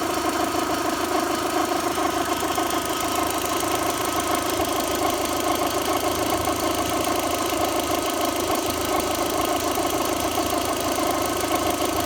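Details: VW 1.8T at initial start-up after timing belt, tensioner, idler, metal-impeller water pump, thermostat and crank seal replacement: faintly knocking mechanical chatter rising with revs; owner suspects water pump, not confirmed.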